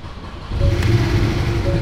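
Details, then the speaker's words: Cheapest Porsche 718 Cayman S, bought at auction before rebuild: engine drones low and lumpy, swelling halfway with an uneven beat; described as not the healthiest sounding, cause not identified. "it's not the most healthiest of sounding things and it's also not the most healthiest of looking things in the uk either"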